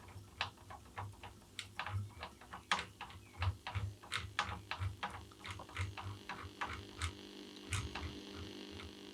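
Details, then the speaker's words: Tube radio under restoration with original tubes and capacitors: long wave and short wave receive, but medium wave gives only a faint low hum with irregular crackles. The oscillator was suspected at first; the cause was dirty band switch contacts. "I know where the problem is not okay from the fact that longwave is working working and short wave is working medium wave is not"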